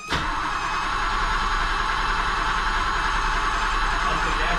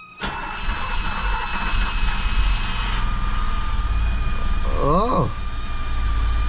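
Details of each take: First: 1978 BMW E12 530i first cranking in 16 years after a fuel pump install, tank drain, oil change and new battery: starter spins evenly, no firing; crank no start because no fuel is reaching the engine. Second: 1978 BMW E12 530i M30 first start in 16 years, after a new fuel pump, with the pump fed from a jump box: short crank, then it catches and settles into a quiet, smooth, steady run.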